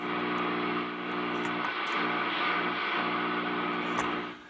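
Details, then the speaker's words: Drake R4B receiver picking up its crystal calibrator's signal as a harsh steady buzz: mains hum from AC in the calibrator's feed line. "So the calibrator in this R4B has AC in it. It makes horrible noises."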